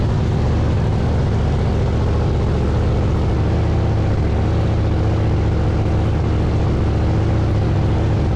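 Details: Blower V8 Pro Mod drag car idling after the burst panels were replaced and the blower refitted: deep, steady, lumpy rumble with an even beat and no knocks, misses or whine; normal idle.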